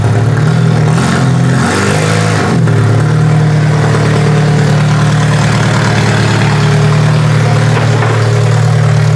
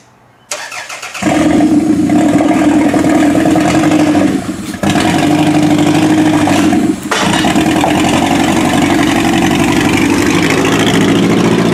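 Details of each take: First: Toyota Solara demolition derby car after work: the engine revs briefly, then settles into a steady, even hum with no knocks or misfires; normal running, sounds healthy. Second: Demolition derby car started and driven out of the shop, shifted by hand without a shifter cable; engine cranks, catches, then runs and revs uneven and lumpy with dips, not running well, needs more attention; axles also clicking.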